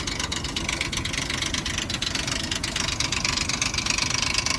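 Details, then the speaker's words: High-mileage 2002 Ford Explorer Sport Trac 2WD, 4.0-liter engine, cold morning, jump-started: fast, uneven metallic rattle over idle that gets quieter with a little gas; timing chain slap, common on these engines. "Give it a little gas, it gets a little quieter. And like I said, this is very common on these this is very common on these 4-liter engines."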